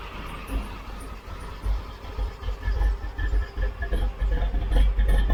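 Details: 1972 Chevrolet C10 shop truck V8 after removing a rubbing piece, warming toward 170°F coolant while setting timing: low rumbling idle with gentle swells, no knocks or misses; normal idle.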